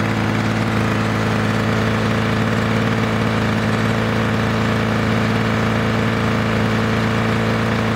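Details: 1982 Lawn Boy Scamp Model 4503 20-inch push mower, restored with new engine parts, during break-in: steady, even two-stroke buzz with firm throb, no misses or knocks; running normally.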